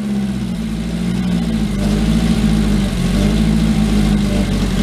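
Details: 2008 Chinese T-Mag XT work truck with rotted frame: steady low idle with slightly lumpy, irregular beat, not quite even; check engine light on, owner wonders if the computer is acting up; cause unclear.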